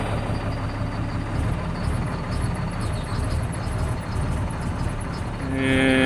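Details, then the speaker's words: Caterpillar C7 ACERT diesel with power loss and strange noise, during a cylinder cutout test at idle: rough, uneven stumbling knock that clears when cylinder 5 is cut, a misfire from faulty injector number 5. "El quinto escuchemos como la falla se ha quitado mal funcionamiento del quinto vamos a ponerlo otra vez"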